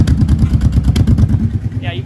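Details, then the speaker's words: $300 Kawasaki Brute Force ATV after stuck valve fix, carburetors refitted: fast loud uneven thumping at idle with dropped pulses; still missing, carbs to be cleaned and rebuilt with OEM parts. "So, I've got this thing to where it'll run pretty good like idle now, but it's still missing a little bit."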